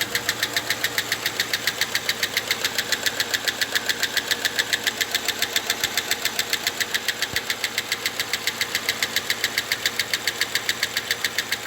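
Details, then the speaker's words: Engine that began knocking after valve stem seals were replaced: crisp, even ticking at about three and a half per second over a quiet idle, from hydraulic lifters; it stopped once the oil was pressed out of the lifters. "Так, ну так похоже на стучат гидрокомпенсаторы."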